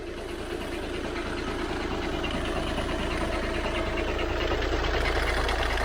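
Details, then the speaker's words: VW Passat DSG diesel, high mileage, restarted quickly: low regular rattle about three or four beats a second at idle; owner suspects dual mass flywheel, absent on earlier starts and test drive. "i'm going to say that's dual mass flywheel unless there's something else rotational that i could have upset turning the car off and back on again very quickly"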